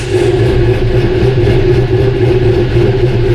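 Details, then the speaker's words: Chevy LS engine on first start after sitting since Sunday, with a new starter: steady idle with a regular stumble, like one cylinder missing. Misfire suspected from a loose spark plug. "it sounds like it's like we got a miss like one cylinders not quite hitting right"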